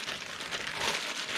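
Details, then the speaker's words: 2017 Buick LaCrosse rear wheel bearing, hub turned by hand before unbolting, gives a dry, gritty rasp: worn wheel bearing making noise, replaced with complete hub assembly. "So [clears throat] before before we get crazy on those wheel bearing bolts, you guys trying to hear it. Yeah. Yeah. Yep. Yep. It's making noise."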